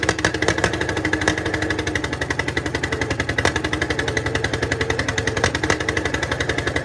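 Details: 1951 Caterpillar D8 2U dozer, sitting since 1990, big diesel freed after being stuck, first run on its own power: heavy, regular chuffing at about four beats a second that holds steady. Normal running.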